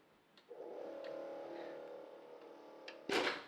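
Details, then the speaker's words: 1980s Sharp VZ2000 boombox record player, long unused and dirty: faint steady motor hum for a few seconds but mechanism doesn't engage or turn. Motor runs but mechanism does not engage. "I could hear the motor go in there"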